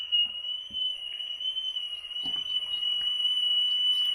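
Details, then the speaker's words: Vintage rim-drive tape recorder playing a test tone, picked up by a microphone feeding wow-and-flutter software: steady high tone with a constant pitch wobble; bad wow and flutter, possibly the tape bumping the reel. "we're at one 1.1 rms and we're at we had a peak of almost two um two percent so the wiring flutter on this little tape recorder is pretty pretty bad"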